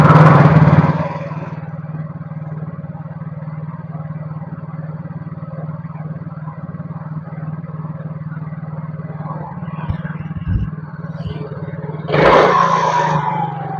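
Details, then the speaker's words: Yamaha Mio GT scooter with faulty idle speed (ESC) sensor: idle starts high, drops to a low uneven putter, flares up again, sometimes stalls; unstable hunting idle before the manual sensor fix. "Kadang suara gasnya terlalu tinggi, kadang dia mati sendiri, kadang dia gede sendiri, kecil sendiri, ya itu enggak stabil ya. Ini sensor ESC-nya emang udah bermasalah."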